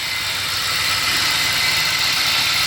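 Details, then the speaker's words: 2017 Toyota Tundra 4.6 L 1UR-FE V8, 75,000 miles, running with the hood closed: a steady high-pitched gritty hiss and metallic bearing grind, louder on the passenger side, over a quiet idle; possibly a tensioner pulley bearing grinding. "I will say it's more on the passenger side than here. I will say like a metal bearing grinding, but I will let you listen."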